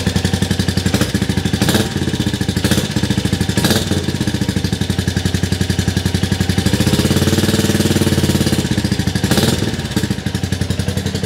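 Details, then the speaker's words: 2022 Royal Enfield Classic 350 after full rebuild, first start indoors after priming fuel pump: loud but even single-cylinder thump at idle, no knocks or rattles; engine smooth. "quite loud in here but I am indoors the Y that's quite loud actually engine's nice and smooth though"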